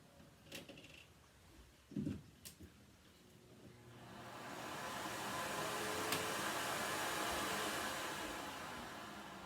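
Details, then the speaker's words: Electrolux central vacuum, hose plugged into wall outlet: a few clicks, then steady rushing whoosh builds over a couple of seconds and holds even; suction good. "So you can hear it turned on. And we got suction."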